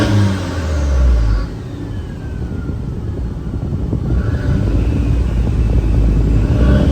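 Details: Manual-swapped Mk4 running after first start, heat working and no fluid leaks: engine climbs and falls back smoothly on the throttle with a soft whir, no knock or rattle; normal revving, running clean and very quiet.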